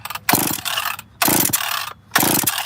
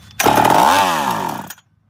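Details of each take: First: Chainsaw model 850 starts after about six cord pulls and holds a steady buzzing idle without stalling, a normal start and idle; bar oil in the cylinder is seen coming out the muffler. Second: Chainsaw with a sticky carb butterfly and leaking fuel tank bursts to high revs, pitch bends down, then dies after about a second; starts and idles on prime but won't draw its own fuel, possibly flooded, throttle linkage catching.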